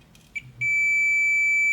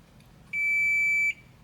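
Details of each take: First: Midea air conditioner control board that will not power on, diode test: short tick then a continuous steady meter tone, diode shorted. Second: Midea air conditioner control board after replacing the shorted diode: single clean beep under a second then silence, the parallel capacitor charging; no short left.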